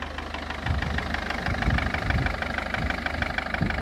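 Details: Mercedes Vito 638 engine at idle: uneven heavy knocks, roughly two a second, thud through the idle; cause undetermined; engine knock.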